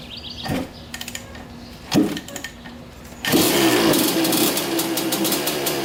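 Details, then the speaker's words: 1985 Honda CR250 two-stroke after carb needle clip moved up to third position: a couple of kicks, then catches and holds a crisp, steady buzzing idle without dying or bogging; running pretty good. "running pretty good all right now that's ran for a while"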